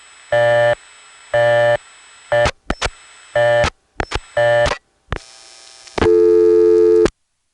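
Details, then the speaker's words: 1970s step-by-step exchange call from Occoquan via N3 trunks through Arlington to Springfield: clean double tone switching on and off about once a second, with line clicks; busy signal. "here's another one like that except it gets a busy"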